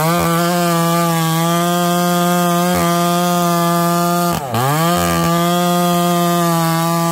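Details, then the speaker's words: Chainsaw, an aftermarket or old saw (title mentions testing the oil pump on a 288XP clone), cutting wood. Steady high buzz with a brief bog; the chain is going dull because the bar oiler isn't working. Plans a good OEM oiler. "okay I'm sure you guys can see and hear it change starting to go dull Euler's not doing its job"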